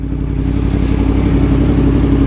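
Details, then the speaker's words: Yamaha MT-10 on first test ride after replacement engine fitted following engine failure, crankshaft position sensor connector fixed: smooth, steady engine note rising gently rolling into petrol station at low speed, no clatter or misfire; healthy. "Oh, it sounds good just pulling up to the petrol station."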